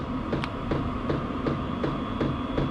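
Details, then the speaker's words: HCalory HC2 12V diesel heater (5-8kW) turned up to full, ramping smoothly, reaching about 192 degrees after a few minutes: steady fan whir with soft even fuel-pump ticking about three a second; normal high-output running. "Let's just go ahead and crank it up for a while and let her rip. That's pretty slick. Got a nice ramp to it."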